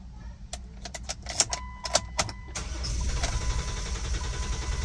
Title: Replaced Jeep JK 3.8 cam position sensor, now car won't start? Ran fine before sensor was changed!